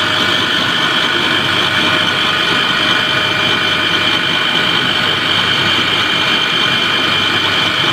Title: KES-55 screw air end abnormal sound observation